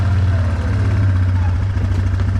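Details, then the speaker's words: 2009 Yamaha Wolverine 350 ATV idling after an idle adjustment: a steady, even low rumble with no hunting or misses. The CVT engages smoothly with no jumping when shifted into drive or reverse. Normal idle. "i'd say that's a good a good idle right there it sounds good"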